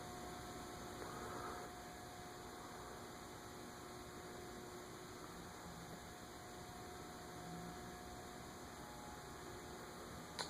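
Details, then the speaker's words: Dayton industrial/commercial ceiling fan model 5NPZ5 on a solid-state speed control at low speed: a steady electrical buzz with fixed tones over the fan's soft whoosh, quite buzzy, failing the fluorescent light test; motor buzz from the solid-state control. "like 130 which is. 31 it's quite Buzzy it does not pass the fluorescent light test"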